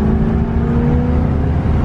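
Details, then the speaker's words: 1979 Corvette V8 under acceleration with the stock exhaust rusted through, a large hole underneath: loud raspy unmuffled roar from the exhaust leak. "it's those sounds pretty decent for a broken stock exhaust it's literally rusted through"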